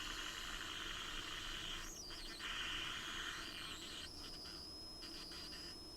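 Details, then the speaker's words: 1963 Sears Silvertone AM transistor radio during repair, open capacitors replaced, output transistor not yet installed: thin high squeal over faint hiss with sliding, warbling whistles; oscillation from a bad AVC capacitor. "Okay, so all this squealing is a bad AVC capacitor. It's very common."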